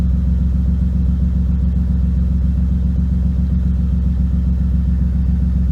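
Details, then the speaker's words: BMW E36 (owner calls it Betsy), not started for a couple of days, rough lumpy idle about three to four beats a second that partly clears; owner suspects spark plugs, possibly leftover fuel; wiring and transmission control module being looked at, unresolved. "Good morning, Betsy. A little rough. Rough. Something's not happy."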